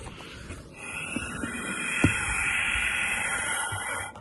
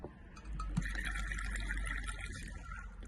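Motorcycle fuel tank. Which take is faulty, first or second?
second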